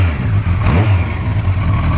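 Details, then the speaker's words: 1980s four-cylinder car, bought non-running after sitting outside for years, after rebuilt carburetors, engine, exhaust, suspension and brake work: steady even low burble, no knocks or misses; runs smooth, purring like a kitten. "Now listen to this thing. She runs like an old classic and she purrs like a kitten."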